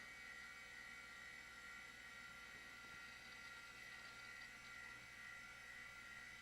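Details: Quantum SCSI hard drive in a re-capped, cleaned Macintosh LC powering up: steady high whir with soft, even whine, no clicks or scraping; drive spins up and runs normally.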